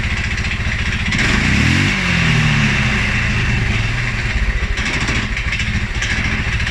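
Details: 2011 Polaris Sportsman 550 XP, EFI: single-cylinder revs up then sags and stumbles into uneven, lumpy low idle with irregular firing; also stumbles cold on startup. Dealer found TPS, IAC, TMAP in spec; valves, timing, new plug, 43 psi fuel pressure good; cause unknown.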